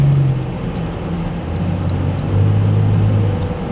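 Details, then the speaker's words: 2002 Nissan Frontier rear while driving: loud uneven low rumble and drone rising and falling with road speed, quieter as it is driven. It sounds like the back is falling off but handling is unaffected; a bad differential is suspected. "it sounds like the whole back of the car is gonna fall off however is not affecting the way the car drives at all well then sirs sounding really really bad"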